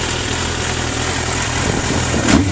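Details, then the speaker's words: 1994 Suzuki GSX-R1100 with Vance & Hines 4-into-1 exhaust, idling still cold with temperature not yet up: steady four-cylinder idle with a slightly uneven cold burble, rising a touch near the end, no knocks or rattles. Owner says it runs smooth warm. Normal cold idle. "can see the temperature did not come up. Once it's warmed up, it runs fantastic, smooth."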